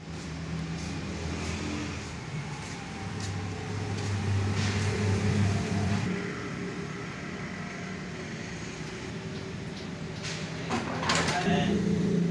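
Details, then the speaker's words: Honda CD 70 70cc bike; steady, even low hum with smooth revs and no chain rattle or ticking, sounding healthy. "इससे bike आपकी bike का engine महफूज हो जाएगा engine खामोश होगा इंजन का साउंड बेहतर हो जाएगा"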